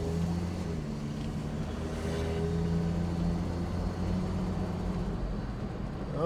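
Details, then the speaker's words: 1967 Mustang test drive after new timing chain installation: steady even engine hum under light load with road noise, belt squeal on acceleration now gone, charging 14 volts; engine pulls smoothly and runs normally. "Not hearing the belt squeal anymore. That's good. And she seems to be accelerating when I give her gas."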